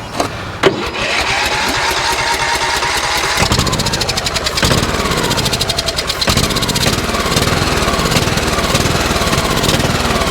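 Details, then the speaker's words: Yellow Cub Cadet lawn tractor that had sat for a while, cold start despite gassy oil: a few cranking pulls, then the engine catches and settles into a steady, even run with a quick firing beat; starts and runs fine. "Huh. Motor sounds good. I was nervous because of how gassy that oil was, but it sounds really good."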